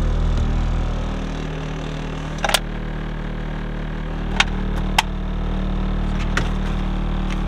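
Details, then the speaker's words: Steady idle on a 9th-gen Honda Civic Si freshly rebuilt with a built K24, with sharp irregular buzzy rattles every second or two from loose interior panels; owner plans sound deadening rather than fixing them. "as you guys can hear everything's rattling but I don't think I'm going to change that um like I said I think I'm just going to buy some sound deafening and just put it inside the car"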